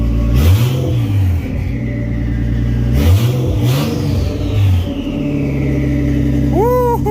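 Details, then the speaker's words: R32 Skyline RB engine after reconnecting the blocked valve hose: steady idle with clean blips, revs rise and fall smoothly with a rising turbo-spool whistle after each; running healthy. "oh rb is finally running and it sounds so good with the turbo spooling"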